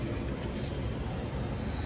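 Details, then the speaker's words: Buzzing contactor in a reach-in freezer replaced with a new sealed contactor; after the repair the freezer runs with a steady, low, even rumble, no buzzing or humming, normal running. "all right there it is back in action no buzzing no humming very good that'll work on to the next one"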